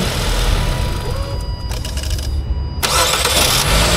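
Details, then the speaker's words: Car whose starter scraped on cranking, test-started in neutral after the starter Bendix was replaced; flywheel ring gear shows scrape marks. A short crank, then the engine catches and settles with no scraping or grinding, a normal start. "Entonces vamos a cambiar de Bendix y ya vamos a ver que el carro arranca parejito. O sea, claro, arranca normal, pero el tema es que ya no va a raspar, no suena."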